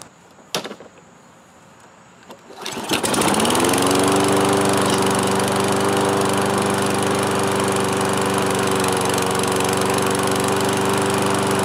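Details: Toro Recycler 22-inch mower, single-cylinder Kohler with automatic choke, after repair and reassembly (no new air filter yet), once unused four years: starts on one pull, settles into a steady even drone, no misses or surging; normal running.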